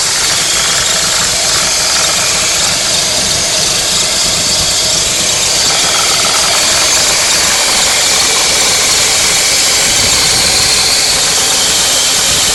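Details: BMW E46 316i (1999), M43 engine at idle: steady loud hiss over a rough, uneven idle, like air being drawn in; a vacuum leak is suspected.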